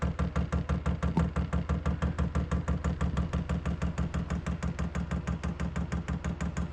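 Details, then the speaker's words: Newly installed Chinese diesel heater on 12-volt wiring, running after lighting: even ticking about three times a second over a low steady hum of pump and blower, blowing hot air. Normal running. "Okay, I don't know what I did, but it's on. I expected it to smoke because of that wet wrap I put on there. It's blowing pretty good."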